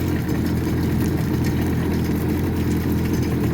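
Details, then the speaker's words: 2004 Honda F-12X turbo Aquatrax jet ski, about 210 hours, started after jet pump rebuild for clanging from rear when run out of water: even steady idle, smooth low hum, no clanging or rubbing; runs clean after repair. "I'm going to start it up and see if some of that clanging has stopped. Hopefully it sounds nice and smooth. So I'll start it up here. Wow. Listen to how nice that sounds."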